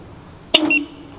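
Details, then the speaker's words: Honda Civic EM1 Si alarm arming: single sharp chirp with short electronic tone tail; alarm works normally. "this would be some updates on things that I have and the alarm actually works my dude"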